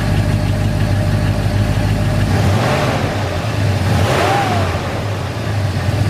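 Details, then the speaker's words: 1981 Ford F-100 with a 302 V8 and automatic at idle after adjusting a loose rocker (push rod zero lash plus half a turn): even idle, rattle gone, only a faint light tick left. "As you can hear, the the rattling rocker is now quieted out. There's a tiny little tick in it."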